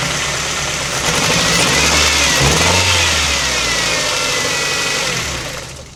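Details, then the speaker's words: Ford Transit Connect camper van petrol engine starting and idling with a terrible misfire: rough, uneven, stumbling beat like a lawnmower but worse, with a strange burning smell like a blown-out candle. "It sounds absolutely terrible. It sounds like a lawnmower, but worse."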